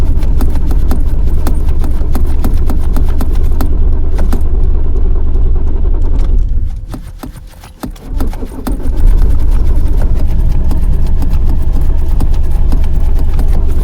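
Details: Cold winter morning roadside no-start: starter churns in a steady rhythm at about three pulses a second, pauses, then cranks again without the engine catching; extended cranking.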